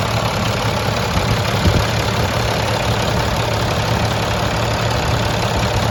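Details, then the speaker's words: Rebuilt International 466E diesel, first run after rebuild, restarted after it died once: steady, even idle with a smooth low rumble and no knocks, misses or rattles; the engine sounds healthy. "but everything sounds great i mean to me that engine sounds very very nice"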